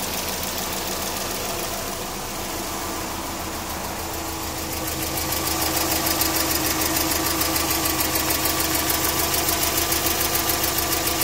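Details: Subaru EJ20K engine at idle: a crisp, even ticking of about 200 per minute that sharpens slightly as the idle settles; the owner suspects piston slap, the timing belt tensioner, the AC or the lifters, and the cause is unconfirmed.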